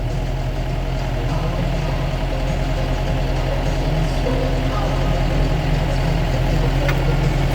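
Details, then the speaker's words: John Deere 6005R tractor started after a service and hydraulic oil change to check the hydraulics: steady low diesel beat at idle, even and unhurried with no knocks or squeals, hydraulics working, running normally. "I'm just going to start it up and make sure the hydraulics work. Okay. Yeah, that's all working."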